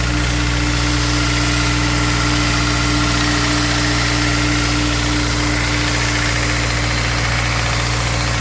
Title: Ap1 S2000 engine tick/rattle noise